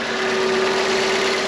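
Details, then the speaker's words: Salvaged car with full service history and cambelt replaced: steady, even, quiet hum with no knocks or misses, said to sound exactly like an F 500. Normal idle. "well sounds nice and quiet sounds exactly like f 500 does"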